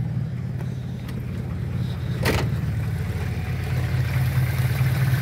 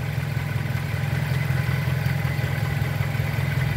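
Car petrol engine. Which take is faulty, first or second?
first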